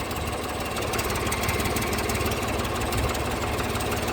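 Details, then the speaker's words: Ford New Holland 445D during maintenance: steady diesel clatter at idle while bucket curls and ripper teeth operate, no groaning or pump squeal; hydraulics working normally. "then this one does the ripper teeth so all that stuff's working good"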